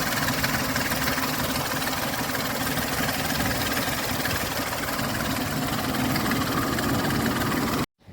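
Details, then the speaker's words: Ford Explorer 4.0L SOHC V6 warm idle: fine cold, but after about 15 minutes warm a quick uneven timing-chain-type rattling clatter starts, diesel-like; no misfire, tensioner replacement didn't help, cause unknown. "अब आप cold start करते हैं तो कोई problem नहीं है लेकिन जैसे 15 मिनट होते हैं इंजन वार्मर होता है तो एक अजीब तरह की साउंड आणि शुरू हो जाती है जैसे टाइमिंग की कैसे टूट गई हो इसकी या फिर कोई डीजल इंजन चल रहा है"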